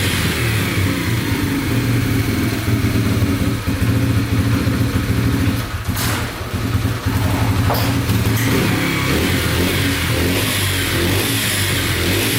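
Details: Yamaha TTR125 dirt bike (believed 2003) after top and bottom end rebuild, following a bad knock from running out of oil; crisp even single-cylinder firing climbs and drops cleanly, no ticking or knocking; sounds really good.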